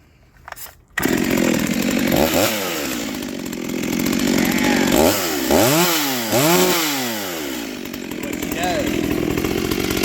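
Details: Vintage Stihl 036 chainsaw just rebuilt with an aftermarket Meteor piston and cylinder kit, new crank bearings and seals, new muffler and clutch, and a rebuilt OEM carb: catches and idles, then blips up and down cleanly, revving freely; healthy running.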